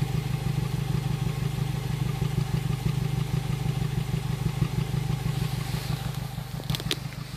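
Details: Honda Civic Si at warm idle: deep exhaust note broken by uneven puffs and pops about three a second; engine otherwise runs fine and the cause is unknown.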